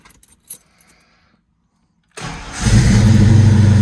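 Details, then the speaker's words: Foxbody Mustang after oil change with 10W30 synthetic: keys rattle, engine fires straight away into steady idle without the earlier ticking or crackle, which owner suspects was spark jumping or starter. "Yeah, that's it. It's fine now. I definitely didn't hear that sound."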